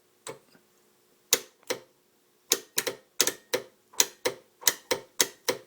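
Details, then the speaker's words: Gravely 424 tractor, known-good old starter solenoid bench-tested with a jumper wire: crisp sharp clicks in uneven bursts, about a dozen in six seconds, each firm; normal solenoid plunger pull-in. "here's another old rusty solenoid that I know is good and watch this hear it"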